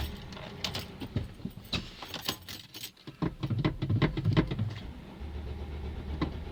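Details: Mercedes Sprinter diesel: several seconds of uneven cranking before it finally catches into a low steady idle; hard start, long cranking.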